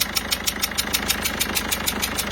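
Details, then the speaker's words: Peugeot 207 HDi diesel, customer reported no-start: sharp loud ticking six or seven a second over idle with puffing; leaking injector seals blowing compression, seals to be replaced to avoid turbo lubrication failure. "mais là on est quand même sur quelque chose d'assez poussé en termes de joints d'injecteur. Le bruit est assez énorme,"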